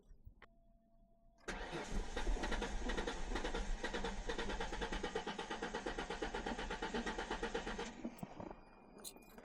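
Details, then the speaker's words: 2004 Ford Mustang sat in the desert for years, cranked while spraying starter fluid into the intake: starter churns steadily about three times a second for six seconds, never fires; crank no-start, seemingly missing fuel. "Yeah, I think it's uh seems like it's missing fuel, huh? The spots I'm spraying it in are not the greatest, so probably not getting everything it should."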